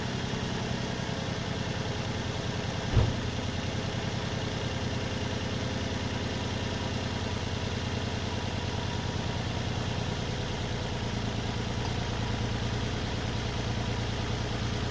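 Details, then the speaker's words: 2004 Nissan Maxima 3.5 V6, about 230,000 km, after replacing likely original spark plugs: idle with faint uneven lope, one cylinder still partly down but better than before; misfire, owner suspects carbon on a valve. "still down half still sounds like it's partly down a hole but not like it was before"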